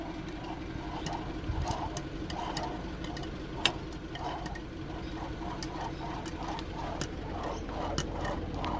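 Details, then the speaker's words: Mercedes-Benz W124 300CE-24 emissions air pump, removed from the car with its clutch and pulley taken off: gritty, rasping bursts as the pump is turned slowly. It ground for about a month, then came apart; failed bearing. "yeah so the bearing is definitely gone"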